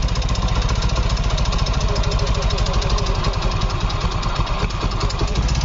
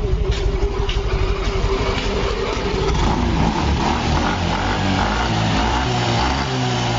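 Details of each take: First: Yamaha Fino 125 scooter with a very rough engine, running loud and harsh with dense mechanical clatter that gets louder as it is revved; won't hold idle and dies off throttle, no smoke; too-tight valve clearance. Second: Yamaha Fino 125 scooter after the fix, which needed no engine teardown or parts: engine idles smooth and even with a light throttle blip and no tapping or knocking. Before the fix it was noisy and would not idle.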